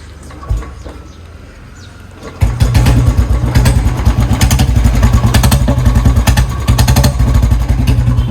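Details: Royal Enfield Bullet: after the engine catches, a light quick tick-tick of roughly three per second rides over the thumping idle, and the cause is not confirmed.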